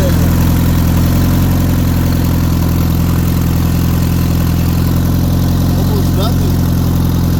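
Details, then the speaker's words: Turbocharged car at idle: quick light tick, about three to four a second, over the engine hum; owner suspects valves not getting enough oil, little oil reaching the cams; top-end tick, cause unconfirmed. "There's a noise that is coming from somewhere. I think it's the valves. They're not getting enough oil."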